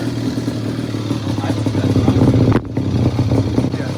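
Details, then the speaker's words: Yamaha Banshee barn find, twin-cylinder two-stroke, test fire before finishing reassembly: revs crisply with rough snarling exhaust, no knocks or misfires; sounds healthy and meaner. "yeah it's a dual motor the [ __ ] sounds good dude it sounds so much meaner than that"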